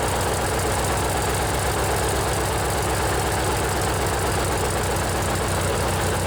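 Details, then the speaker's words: Briggs and Stratton 16 hp opposed-twin riding mower engine: steady even low thrum with smooth quick pulse and no knocks at constant speed; normal twin-cylinder running. "So far, we've only listened to single-cylinder engines, but this one here, it's the old Briggs and Stratton opposed twin. This one's a 16 horsepower. Let's see if you can hear the difference with how a twin cylinder sounds."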